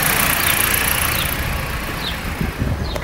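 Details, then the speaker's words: Fiat Freemont 2.4 at idle after repair, air conditioning not yet switched on: engine ticks over quietly with some handling clatter, no belt squeal or chirp; AC compressor had been wrongly blamed for the belt noise. "Oi galerinha aí ó tá silencioso galera dentro dentro de novo só que eu furei não Liguei o ar condicionado ainda"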